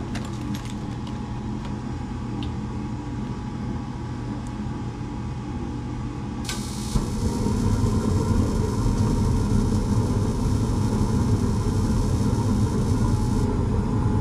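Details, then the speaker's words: Furnace found locked out after a no-heat thermostat call; low hum then rushing roar as burners light, but flame doesn't carry across all burners: incomplete burner flame carryover. "sounds like the Flame's not going all the way across"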